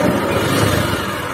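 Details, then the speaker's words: Honda Vario 150 scooter with rough running, said to hiss like a cobra and lose its oil within two weeks: the revving roar stays harsh. Teardown found both left and right crankshaft bearings failed. "Vario ini keluhannya mesinnya kasar coba Saya nyalakan Hai karya ini katanya berdesis teman-teman seperti ular kobra"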